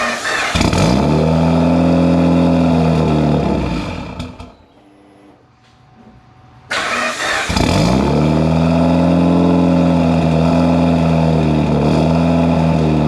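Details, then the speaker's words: Built Mitsubishi Evo 8 with Kelford 272 cams and a failed IAC swapped for an Eclipse unit, second start attempt after fitting a new resistor. The engine catches, revs, sags and dies, then refires. It won't idle; the AEM gauge reads 14.7. "you all right so we're still having difficulties uh I'm my AEM gauge is reading 14.7 and it's just not doing anything I still want idle"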